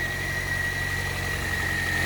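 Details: Toyota Corolla just after a starter replacement, charging about 14 volts: smooth, steady idle with an even low hum and a faint constant high whine; the engine is running healthy. Normal idle.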